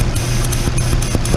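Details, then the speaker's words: 2013 Nissan Murano with cam timing codes, high compression and low vacuum: idling engine's steady low hum carries a constant airy hiss from a massive vacuum leak, where a too-long bolt punched a hole; running way lean. "ssive vacuum leak um I think it's going to change things I'm thinking man that is great so now my high compression and my low vacuum I could be solving this from what he has found"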